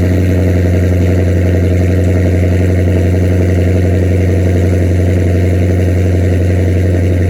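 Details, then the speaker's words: 2006 Chrysler 300 with swapped 2014 6.4L V8 and 6-speed manual, straight-piped from SRT headers to bumper, cold start before long-tube header install: loud, deep, lumpy burble with an even beat; normal healthy cold idle. "straight piped, so it's got SRT headers on it from the 6.4 liter, and it's straight piped from the header all the way to the bumper."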